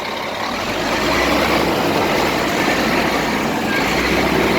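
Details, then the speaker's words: Scania 380 hp truck after adding a three-stage engine oil additive; loud, even diesel roar under throttle, no knocks or rattles, smooth and quieter than before, normal revving. "나오는 파동 은 시끄러운 소음 이 아니라 부드러운 소리 입니다 ."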